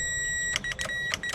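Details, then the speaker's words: Chrysler 100hp two-stroke outboard (1982 boat, sat about six years), double green wire powered from a jump pack: a few sharp clicks, about four a second, over a quiet hum. The electric choke solenoid pulls in normally. "Oh no, I'm sorry, that's the choke going. Cool. Right, so the double green is the electronic choke."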